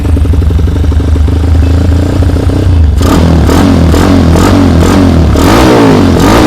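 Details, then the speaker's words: Honda CB100 custom build, SND carburetor, cheap full-stainless exhaust, kick-started: loud steady single-cylinder thump at idle, then sharp throttle blips rising and falling; picks up cleanly, normal idle and revving, very noisy pipe. "Knalpot full stainless dengan harga murah sekitar 500 ribuan ini cuma. Karburatornya SND, suaranya seperti ini."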